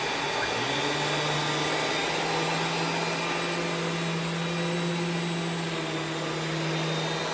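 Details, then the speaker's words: Rainbow E2 single-speed canister vacuum (believed early 2000s) with power brush, distinct single-speed motor sound: spins up to steady even hum, brush whirring smoothly, no rattles or pitch wobble; normal running. "the motor on these single speed e series have a very distinct sound compared to the two speed brushless motor designed in later years so let's go ahead and turn it on"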